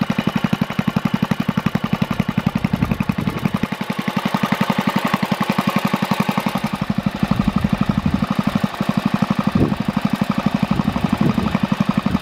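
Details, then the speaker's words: Early Kohler K181 8 hp single-cylinder engine rebuilt on the bench for a Panzer T758ES tractor, new points and coil wire: crisp even beat about four firings a second, slight startup smoke burned off, no knocks; healthy. "so everything ran well there was a little bit of smoke upon startup but that all burnt off of there and there's no knocks or noise or anything like that out of it so it's a good solid cooler eight horse"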